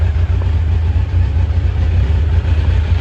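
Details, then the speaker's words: 1986 Kawasaki Concours ZG1000 after its carbs were reinstalled and the airbox mostly fitted, with the idle raised for starting. Steady, even four-cylinder rumble holding revs with no misses, knocks or rattles; normal revving. "okay I could probably turn the idle down a little bit there you go I buffed it up when I started it"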